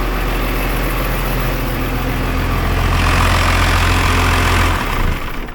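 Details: Cummins 12-valve 5.9 diesel swapped into an ex-Powerstroke OBS Ford F350, first start, charging at 14.2 V with oil pressure. Deep, steady diesel clatter at idle with a brief rev rise: healthy running.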